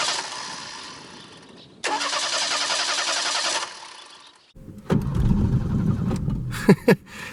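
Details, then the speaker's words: 1989 Ford Mustang 2.3 L inline-4, first start after 9 years unstarted: bursts of cranking, then it catches and stumbles unevenly with sputters; hard start and rough running after long storage, owner suspects sticky injectors, says it can't be flooded. "probably got really sticky injectors floor Well it can't be flooded"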